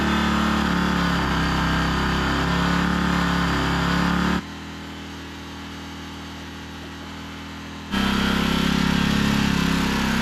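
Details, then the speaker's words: Generator after fitting a new aftermarket Chinese carburetor, idle adjusted down as it was badly out of adjustment: steady buzzing run with brief dip in level midway, even and unbroken; runs fine now. "Alrighty. Well, as you can hear, it runs. I had to adjust the idle down because that Chinese carb wasn't really up to the task or anywhere near adjusted."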